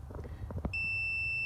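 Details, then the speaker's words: Foton Tunland 2.8 Cummins diesel blower motor resistor, multimeter continuity test on repaired resistor: steady unbroken high-pitched beep after handling; continuity on the 4th terminal restored, unlike the blown resistor, circuit intact. "That's what now, because I've fixed it, this one too will have a beeping sound."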